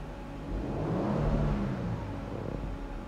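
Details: 2024 Toyota Land Cruiser twin-turbo, after overboost fault repaired at the turbo actuator: smooth rise in revs with deep even drone, easy drop back, no surging or hesitation; engine pulls normally.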